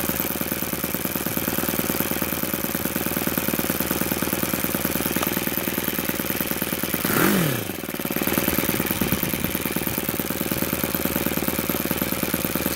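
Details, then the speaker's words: YS FZ 63S supercharged glow engine after a rebuild with a new throttle barrel seal, on an APC 12x8 prop, OS F plug and 15% Omega fuel: a crisp, even buzz dips and recovers cleanly with throttle. It runs sweet. "you see the thrall response on these things is amazing they don't falter at any rpm there you go ys FZ 63s she's running sweet"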